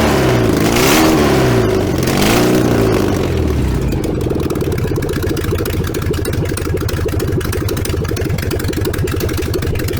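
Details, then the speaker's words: VW 1303S Beetle, rebuilt 1915cc engine, first run after timing corrected, no exhaust fitted: loud open-pipe bark as it catches and revs up and down, then settles into fast even rumble; healthy idle and revving. "i'm not going to be running it without an exhaust but holy i'm going to take the radio mic off"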